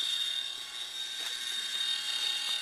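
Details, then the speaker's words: Older E/One grinder pump alarm panel under annual test, heard next to the box: steady piercing high buzz without a break, expected to run about 2 minutes until pump lowers water below alarm level; high-water alarm working as it should. "The alarm should run here now for about 2 minutes before the pump pumps this excess water below the alarm level."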